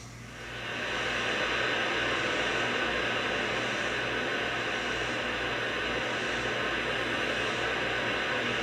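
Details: Wurlitzer 528 tube amplifier (for Model 1700 jukebox) on warm-up: steady hiss swells in within a second then holds level, no hum or crackle; hiss disappears when the 6J5 oscillator tube is removed, cause otherwise unknown.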